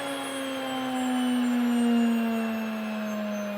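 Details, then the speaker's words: Nutrimill grain mill running empty after grinding wheat. A steady high whine, drifting slightly lower then holding even, for 5–10 seconds so the self-cleaning motor clears the blades. Normal operation. "now the reason that you let it run at that high pitch is cuz you've just cleaned your motor it's a self-cleaning motor so letting it run a little bit with nothing in it uh cleans the blades and everything in there for you"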